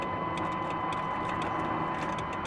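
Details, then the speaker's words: Pontiac G8 GT V8 at salvage auction, sold as non-running, almost full tank, jump power present: light quick relay clicks over faint electrical hum, starter not turning at all, even in neutral; no crank, owner suspects bad starter solenoid or faulty wire. "I don't hear the starter not at all let's try it in neutral no doesn't make any difference"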